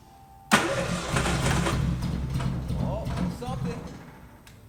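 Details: 1973 Triumph GT6 sitting unused since 1980, first start attempt: hard spell of cranking catches into a rough, uneven low rumble that fades off again; stiff start after long storage.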